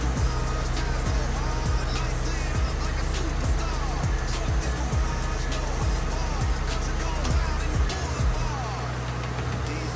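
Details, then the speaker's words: 2006 Ford Mustang V6 idling after harmonic balancer (crank pulley) replacement for severe shaking: deep, steady hum with no surging, belt shows no wobble; normal idle. "All right, you watch the belt and listen for noises. Here we go. Hey, we do it big every time. I'd say it's a success."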